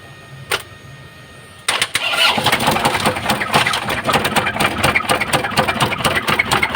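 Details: Isuzu 4JB1 diesel engine with white smoke: it cranks and catches, then a rough, uneven tapping of about two per second rides over the idle, pointing to engine knocking.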